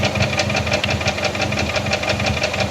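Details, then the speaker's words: Lifted Toyota Corolla DX at idle: odd light, sharp tap about five times a second in time with the engine; not rod knock, rod bearings looked good, new timing set and oil pump; valve clearance cylinder one possibly loose; present since purchase, unidentified. "yeah just a odd tapping noise doesn't quite sound like rod knock but I didn't really know what else to look for cuz it's a odd noise"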